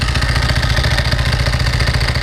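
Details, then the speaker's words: 1995 Ducati 900SS SP, warm start, idling: loose rapid clacking from the open dry clutch and belts over a lumpy twin idle, steady and even; normal, louder with clutch pulled in. "This is the open clutch. This is that clacky clack sound you hear when it's running."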